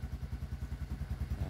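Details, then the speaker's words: Engine after a redo repair replacing the faulty connecting rod and crank bearings: low, even thumping about eleven pulses a second, no knock or rattle; now quiet. Normal idle after repair. "Matino na. Yung tunog. Yan. Tahimik na."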